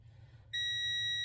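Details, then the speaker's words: Multimeter continuity test on the starter solenoid of a Honda Pilot 3.5L with a click-but-no-start fault; steady high beep without dropout shows continuity, so the pull-in or hold-in coil is good. "and that one is good wow so two coils are working perfectly that's the second test"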